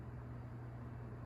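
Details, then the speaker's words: Coast-Air 12-inch box fan, older unit, started on low speed: quiet, even low hum with no rattles, squeaks or screech, good blade balance; normal running. "no rattles or squeaks good blade balance"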